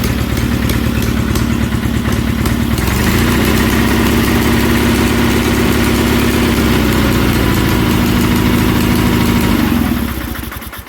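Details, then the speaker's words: 1976 Sears SS18 twin on a fresh battery: idles unevenly with stumbling beats and skipped firing pulses; misfiring, possibly from the spark tester fitted or a loose front spark plug with suspected stripped threads. "Alright, I got a fresh battery now. So, it should start. That was pretty easy. It's misfiring quite a bit."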